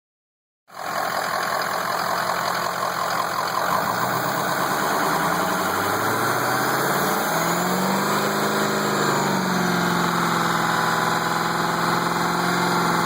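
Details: Ford F250 at a steady idle with an even hiss over the engine and no clear knock, from some leak at the top of the motor; source unknown, possibly vacuum or exhaust.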